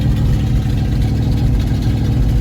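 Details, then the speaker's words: 1974 Ford bumpside with FE 360 V8 and rebuilt Motorcraft 2-barrel carb, first start since November with throttle unhooked: deep, loud, uneven lumpy idle, running cold on the choke. "Well, I mean, it fired. I don't think sounds like it's running all that great, but let's see."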